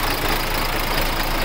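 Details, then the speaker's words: Freshly overhauled diesel engine just after first start (caught on the second attempt), idling: a loud, steady clatter with an even beat and no stumbling or misses. The rebuild is running well. "bale napaandar na natin yung makina"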